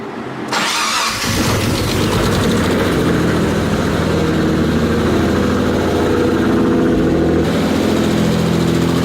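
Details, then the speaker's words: Mitsubishi 3000GT VR4, first start after sitting over a year: cranks, catches, then a light quick tick over the idle from dry lash adjusters, which went away completely once oil reached the top. "the tick completely went away I was just excited over looking it was just like the they're not actual lifters but pretty much lifters just weren't just to have oil in them yet"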